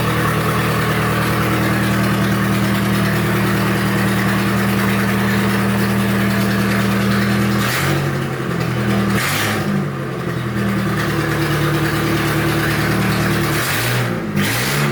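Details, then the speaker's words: Turbo Nissan D21 Hardbody started after repair work, with a manifold not yet fully fastened. Settles into a steady even idle, then takes a few clean throttle blips; no knocks or rattles, runs healthy. "Woohoo! I think it sounds good."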